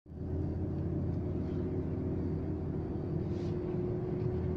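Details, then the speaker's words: Volvo S60 T5 driving on the road: a steady droning hum from a worn front wheel hub bearing. It is louder under load when turning right and quieter turning left, pointing to the left hub. "слышно, как гудит ступица. При повороте направо больше гудит, значит левая ступица."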